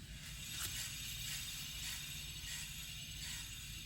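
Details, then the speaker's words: 2007 Toyota Camry Hybrid with brand-new brakes, hand-spinning the driver rear wheel while chasing a humming complaint: a quiet, free spin with only a faint swish of pads lightly touching the rotor, no growl or roughness; normal wheel bearing. "perfectly quietly spinning except the brake pads are rubbing on the rotor but that's a very little touch it's not ceased or anything it seems to be brand new and this is totally normal"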